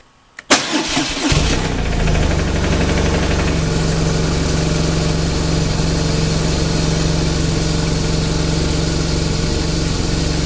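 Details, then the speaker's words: BMW R1200RT engine just started after an oil and filter change: a short rough knock for the first 2–3 seconds, then a steady idle; normal while oil is pumped through before pressure builds. "You may have heard on camera when I first started it up for the first 2 or 3 seconds, there was kind of a knocking sound, and that's normal."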